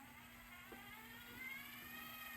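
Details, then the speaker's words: Sony DTC-75ES DAT deck after new gears were fitted and the undocumented sensor was positioned over about 2 hours: the transport fast-forwards with a quiet, even whir and no catching or dragging. Rewind still fails afterwards. "finally I spent like about 2 hours playing with the sensor trying to understand and now it's fast forwards and Rewind"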